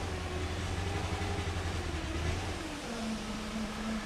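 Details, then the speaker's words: 1998 Mercedes S420 with no acceleration and no check engine light: lumpy, uneven low drone wavering and dropping in pitch; sounds like a vacuum leak but a smoke test found none; owner wonders about fuel, unconfirmed. "it sounds like there's a leak there are no leaks I did a smoke test no leaks I just don't know why there's no acceleration"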